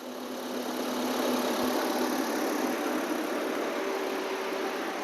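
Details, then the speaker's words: Maruti Eeco with AC compressor relay fault, compressor switched on directly, cooling now working: steady even idle with constant rushing hiss, no knocks or misses, carrying the AC compressor load smoothly. "ஓகேதான் AC cooling வருது. இந்த இடத்துலயே temperature ஏறியும் இந்த compressor load"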